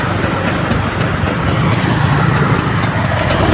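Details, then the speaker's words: Vespa Super two-stroke engine just rebuilt (crankshaft seal eroded by broken clutch plate spring had leaked oil into combustion chamber), first start after reinstalling: steady even idle burble, no left-side "klak" complained of before teardown; runs smoothly. "Syukurlah, suara mesinnya sekarang juga halus. Ini tidak seperti yang dikeluhkan sebelum dibongkar."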